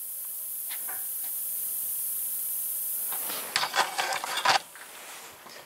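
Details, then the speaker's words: Steady, thin high-pitched hiss of air leaking from a tire at the bead where it meets the rim. This is before testing a water-based sealant (Tireject). "that sealant has to come out of the wall on the thread here they hissing right out of the beat"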